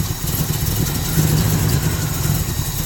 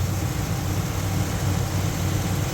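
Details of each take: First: Chevrolet Monte Carlo with a Holley carburetor choke, cold start: low, slightly uneven idle with no raised start-up speed; fast idle is not engaging or barely on. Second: Holley carburetor with newly installed electric choke, fast idle screw on biggest step, engine fully warmed up at 1,400 rpm: steady, even low rumble with no misses, knocks or hunting; normal fast idle.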